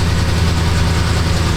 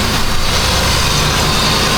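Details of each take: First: 2006–07 Jeep Grand Cherokee 4.7 V8 with engine light on: low, lumpy idle with an uneven beat; dead miss, code P0304, cylinder 4 counting misfires at idle despite a new coil. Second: 2006–2007 Jeep Grand Cherokee 4.7 V8 at idle after valve cover refit following misfire (fouled plug found): smooth steady idle, even hum, no skips, though a few misfire counts still seen before warm-up.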